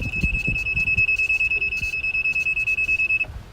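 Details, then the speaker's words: Rental golf cart driving slowly into a geofenced area: a steady high-pitched warning beep sounds until the cart is reversed out of the zone. "alright some members will hear the beeping sound and what that told us is that we have gotten in the geofence"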